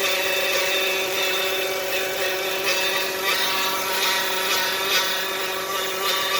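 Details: 2015 Dodge Caravan with engine light on and no forward drive: steady high whine with several held tones over the engine, pitch unchanging, pointing to a whine from the driveline.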